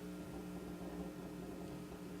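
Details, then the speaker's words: Restored 1936 Philco 116X tube radio at first power-up, at about 99 V and below full voltage: a low, steady buzzing hum. No stations received; mains hum. "oh I think we have a flaky volume control yeah as I wiggle that the hum kind of comes and goes"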